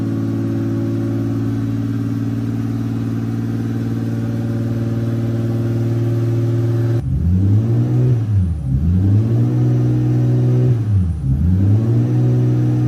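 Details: Toyota VVTi 2JZ-GTE after throttle delete conversion, warming up, target idle 650-700 rpm: steady raised idle around 2,000 rpm that never settles, then a few swooping blips; resistance test showed failed throttle position sensor.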